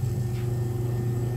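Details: Mallory fan motor after replacing the rear bearing bushing: steady, smooth low hum running evenly, with no rattle or scraping; it had been very noisy and weak before.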